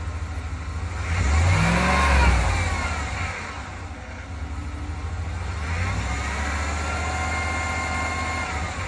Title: 2020 RAM 1500 75K Miles MGU Whine/NOISE